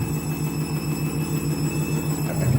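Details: Candy washing machine on spin with new clothes: steady low thumping pulse, about six beats a second, through the spin; something knocking, cause not yet found.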